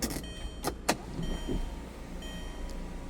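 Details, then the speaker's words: 2000 Volkswagen New Beetle GLS power sunroof sliding back: a few soft clicks, then a quiet, even electric motor hum with no grinding or strain. Normal power sunroof operation. "Power sunroof slides back. Working as it should."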